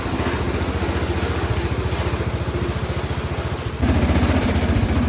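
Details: Cub Cadet 1200 mud mower, 12 hp Kohler, just revived after years in the weeds by cleaning the points, no smoke: quick steady single-cylinder beat with loose metallic rattle, idle set too high. Engine rattle with high idle.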